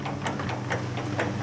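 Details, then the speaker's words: Metal lathe turning a shredder drive shaft: sharp clicks about four a second, evenly spaced over the hum, matching the chatter pattern on the cut; backlash in the headstock gearbox suspected. "when it's cutting that's the the pattern I'm getting out of it"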